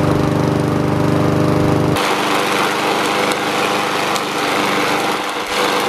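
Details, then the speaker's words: Honda GCV160 mower after carburetor cleaning fix for surging: small single buzzes at an even governed speed for five minutes with no hunting or surging; normal steady running. "all right guys we just let that thing run for five minutes no surging or anything that's a good fix for these Honda engines"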